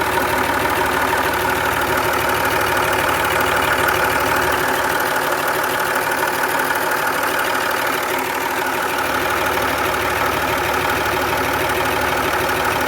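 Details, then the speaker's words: 2009 Land Rover Discovery 3 diesel, 150k miles, warm after timing belt replacement: steady idle with a light, regular ticking around three per second; owner suspects the alternator, which felt grindy, unconfirmed. "it was like a click clip noise it sounds like it's coming straight from the alternator"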